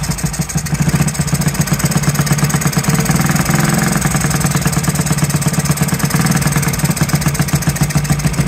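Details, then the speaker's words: 1969–70 Honda Z50 just started after 35 years burbles at a lumpy, loping idle with soft wet exhaust note; running rich, owner suspects carburetor slide needle set too high and air screw needing adjustment. "wow running rich though I can hear [Music] it [Music]"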